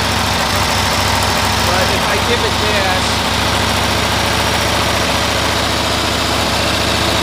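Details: 1972 Cushman Truckster after new coils and a resistor were fitted, air filter off, spark looking more consistent. It still runs the same, with irregular stumbles and dropouts at steady high revs, misfiring around 3000 rpm.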